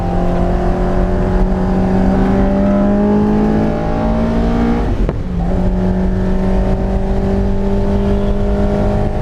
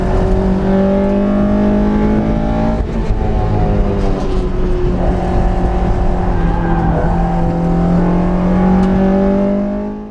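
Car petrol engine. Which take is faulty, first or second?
first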